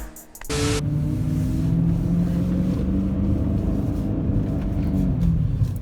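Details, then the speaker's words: BMW E39 M5 V8, warmed up, revving above about 2,500 rpm: steady high-rev drone with a metallic rattle underneath from worn, cracked timing chain guides, with guide plastic found in the oil pan; timing chain guide rattle. "Once you get around above almost 2,500 RPMs, you hear the rattle. Yeah, this is not a pleasing sound."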